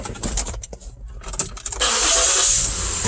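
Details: Ford Flex no-start fixed by replacing the fuel pump relay: short crank, then engine catches quickly and settles into a steady run with some background rattling; starts normally.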